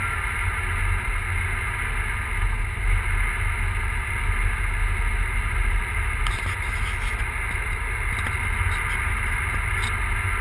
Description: Big turbo e85 volvo 940 misfiring for unknown reason